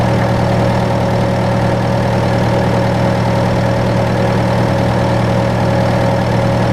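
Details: John Deere 6115M diesel tractor (about 3 years, under 1000 hours) idling after rubber fuel line replacement and electric-pump priming; steady, even idle with smooth low drone, no knocks or misses; normal idle.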